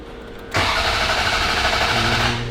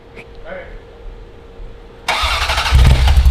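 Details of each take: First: Ferrari 348 after an engine-out timing belt major service and oil pump service: about two seconds of steady starter whir with no firing, ignition coils disconnected, cranking to prime oil pressure before the first start; injectors still spray fuel. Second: Ferrari 348 on first start after an engine-out timing belt major service, gas smell, no spark suspected: starter churns about four pulses a second with no catch; cranks but won't fire, cause unconfirmed.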